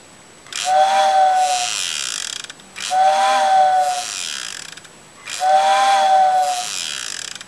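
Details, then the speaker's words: Vintage Tyco steam locomotive whistle fitted with a replacement can motor from a CD player, after resoldering and gluing back together: three whistle blasts, clear mid tone over airy hiss with a buzzing rattle; works, but the motor vibrates, not a total success. "we're guys the girls they have it all back together and it's not a total success it works"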